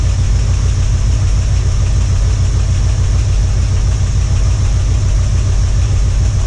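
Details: 1978 Ford Bronco V8 after about two years unrun: deep, even, lumpy idle with no knocks or stumbles. Owner says the earlier clatter is gone. Running normally.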